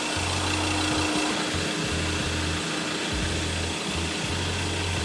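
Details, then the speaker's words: Ford PX Ranger diesel, warmed up, just after oil, oil filter, fuel filter and air filter change: steady even idle with low regular chug, no knocks, no oil light or leaks; normal idle. "Sounds like it's working. Just making sure I can't see anything obviously leaking out of what I've done."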